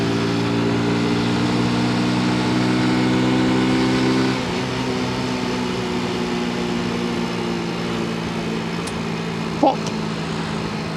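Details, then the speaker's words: 1986 Honda C90 single-cylinder motorcycle droning steadily on the road, then one sharp exhaust pop mid-ride as it backfires again. "Hear that? That was the Honda 90 backfiring again."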